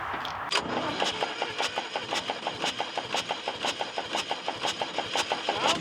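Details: Air-cooled three-cylinder Deutz diesel for flamethrower: steady uneven cranking about two beats a second, never fires; worn rockers and wide valve gap suspected, compression weak.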